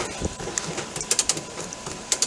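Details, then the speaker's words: 1997 Coleman Grand Touring camper lift crank: sharp ratchet clicks start immediately at bottom of travel instead of after two or three turns; clutch brake not holding, roof lowers by itself. "it will click right away. It doesn't have the the drive shaft or the extension tube isn't backing off."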